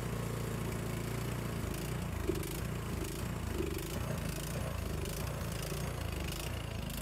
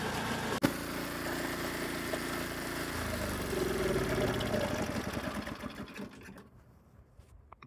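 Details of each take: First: Craftsman snowblower, previously a no-start, started on choke after 3–5 primes: small single-cylinder engine chugs unevenly, speed hunting and stumbling; runs poorly, carburetor cleaning suspected needed. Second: Snowblower, after repair and sitting 5–10 minutes: small engine runs smooth and even for several seconds, then winds down cleanly; running properly.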